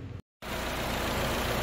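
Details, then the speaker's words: Jeep Renegade idling with air conditioning on after replacing the AC compressor pulley and bearing that had been noisy; steady, even idle with no squeal, rattle or grinding from the pulley; normal AC compressor pulley. "Liguei o ar condicionado ó lá polinha não faz mais barulho acho que dá para ver ali ó lá ó perfeito sem barulho nenhum"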